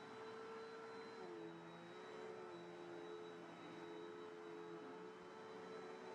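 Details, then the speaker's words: Cheapened Bissell upright vacuum with a 10 amp motor rather than the classic 12 amp: a steady, smaller, whinier motor whine with a thin, slightly wavering squeal on top, possibly the belt or brush roll; the squeal may or may not go away. "The motor sounds like the normal Bissell motors, but you can tell it's a smaller, much whinier motor. There's a little squeal."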